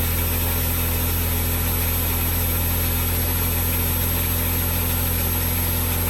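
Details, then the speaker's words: 2003 Smart Fortwo after replacing spark plugs and HT leads for a P0303 cylinder 3 misfire: steady, even low idle thrum with no skips, all three cylinders firing smoothly; engine light went off. "well i am extremely happy it's now running on three cylinders it sounds so much better it smells better and everything about it"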